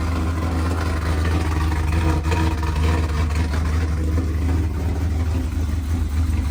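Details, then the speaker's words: Pontiac G8 GT LS V8 idling after trunnion kit install, one broken injector wire's prongs zip-tied apart temporarily: deep steady rumble, no knocks or ticks; a little oil burning off; normal idle. "everything sound good got a little bit of oil get the oil burning off just a little bit of"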